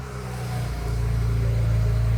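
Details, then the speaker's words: 2008 BMW E90 335i with N54 engine, started after replacing the failed electronic water pump and refilling the coolant: it catches cleanly and settles into a smooth, even idle with a steady low hum, no knocks or ticks. "She sounds pretty good."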